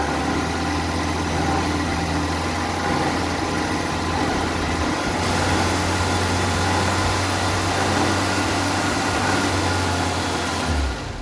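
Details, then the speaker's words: Vauxhall Viva, just fitted with a new Weber carburettor: steady, fast, even drone that never drops to a slow idle. Engine racing at idle. Owner wonders whether timing needs redoing after the carb change and plans new spark plugs. "because the engine does seem like it it was gone when I first kicked it over it was racing like the clappers and I'm thinking well I'll definitely I'll stick a new set of spark plugs in there"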